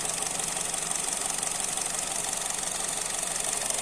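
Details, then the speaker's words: Used Honda Jazz, inspected before purchase, bonnet open, idle rpm stable even with AC on; light quick even ticking with steady hiss, no odd or rough sounds, sewing-machine-like Honda engine; normal idle. "nggak ada suara aneh kan, suara kesingan, suara kasar nggak ada. Khasnya mesin Honda, seperti mesin jahit ya teman-teman."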